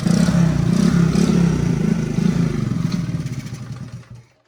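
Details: Honda Super Cub (Platinum model) converted to CDI ignition at home: steady single-cylinder beat with a brief rev, then a clean shutdown as it winds down; no misfire or clatter heard.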